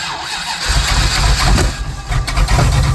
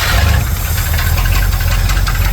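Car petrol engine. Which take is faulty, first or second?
first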